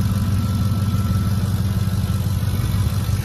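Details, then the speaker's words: 2010 Ford F-150 idling under the hood, starts quick, low on fuel: smooth, even idle pulse at a steady low pitch with no skips or misses; the engine idles healthily, pending a service check. "definitely sounds good not hearing any misses or anything"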